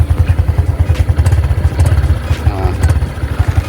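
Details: Honda Supra motorcycle whose vibration got worse after being taken apart. It sits quiet at idle, but with a little throttle a rapid low thumping comes with a loose clatter from the rear, source unclear.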